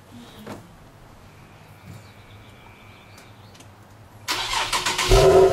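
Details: 2008 Infiniti G37 factory exhaust on cold start: quiet crank, then loud, droning fast idle around 1400 rpm; owner questions whether the excess noise warrants warranty replacement.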